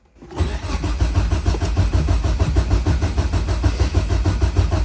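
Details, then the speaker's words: Nissan S13 in a freezing trailer, cranking after a loose kill-switch wire was fixed: steady starter churn at about three compression pulses per second, never catches or fires; cause unknown, to be diagnosed at the workshop. "Okay, so she won't start. I'm not 100% sure why, but I'd rather not have to diagnose it in this freezing trailer."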